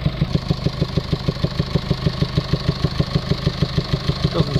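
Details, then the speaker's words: 2019 Mercedes Vito taxi, Euro 6 diesel with ongoing DPF/EGR faults and low-pressure EGR flow-too-low code P300A7A despite new part: steady idle with heavy huffing pulse about three times a second; exhaust gas suspected blowing back out of the intake manifold. "it sounds like it's it's uh producing exhaust gases coming back out from the inlet manifold get that distinctive sound where you can hear exhaust gas coming outwards of the inlet the air intake"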